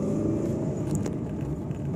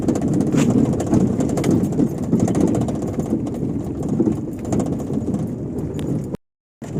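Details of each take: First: Fiat Uno 2011/12 driving on asphalt after fixing the passenger-door rattle: steady low road and engine rumble with no more door banging or tapping. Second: Fiat Uno 2011/12 while driving, even on asphalt: light irregular tapping rattle like a loose window or door banging at the passenger door, actually a loose cable slapping beneath the car.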